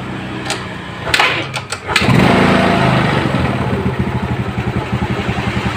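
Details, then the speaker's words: Yamaha Mio scooter after carburetor upgrade with throttle cable head ground smaller: catches after a few cranks, slow lumpy idle sagging as if about to die; idle speed set too low, could stall. "Ya, ini tapi terlalu kecil ya. Nah, kelihatan dia bisa mati ya."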